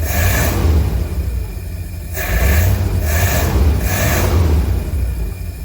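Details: 1952 Cadillac Series 62 V8 after carburetor rebuild, first start with no adjustments, condenser and coil replaced: a few throttle blips rise and settle cleanly over an even low beat; runs well, though it backfired a couple times, owner suspects timing.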